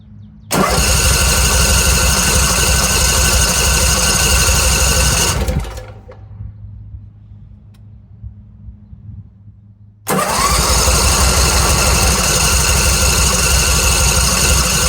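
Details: Briggs and Stratton 27 hp engine on a Simplicity 50-inch zero-turn, new fuel filter fitted: long steady cranking at about three turns a second with no catch, pause, more cranking; hard start, fuel pump not pulling fuel properly, fuel drains from line after sitting.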